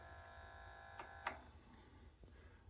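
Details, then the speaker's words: Yamaha CDC-755 five-disc CD changer, pressing open before repair: a faint steady motor whine with a couple of light clicks keeps running but the tray never comes out; the loading belt is slipping. "you can hear that motor running and it just it doesn't want to do anything hit open you can hear the motor running in there and it just won't this just tray just won't come out"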